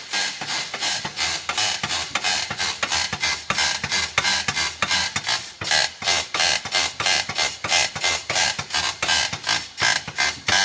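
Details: Polaris Ranger rear suspension shaken by hand at the back right, giving sharp, high-pitched squeaks about 1.5 times a second from the back right shock area; the back left squeaks less loudly.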